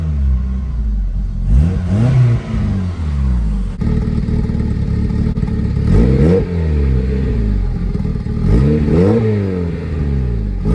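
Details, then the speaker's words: K-swapped Honda Civic, untuned and running rich with occasional black smoke: several clean blips rise smoothly and fall back to a calm, quiet idle with no clatter; the engine revs healthily. "As you can see, she's nice and quiet."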